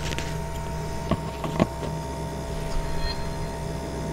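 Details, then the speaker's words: Refrigerator first started after sitting off two to three days, body warming up, slightly louder than at first start; even low compressor hum with faint constant whine, a couple of handling knocks; ordinary fridge sound, normal compressor running. "तो आपका आवाज़ पता चल गया कैसी आवाज़ ए रही है जो रेगुलर आई थिंक सभी रेफ्रिजरेटर में इस टाइप की आवाज़ आती ही होगी तो कुछ उसी टाइप की आवाज़ है कोई ऐसा अलग टाइप की आवाज़ मुझे नहीं लग रहा है"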